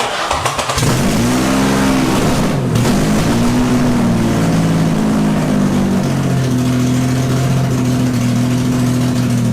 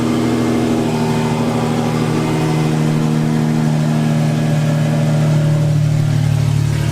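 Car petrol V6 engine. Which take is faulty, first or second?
first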